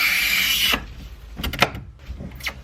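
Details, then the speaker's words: Miata with newly installed NRG steering wheel and quick release: a short loud scrape, then sharp high squeaks in bursts from the hub as the wheel turns; owner suspects it was tightened too hard, cause unclear. "I think I tightened it too hard. So that's probably what I'm gonna mess with now."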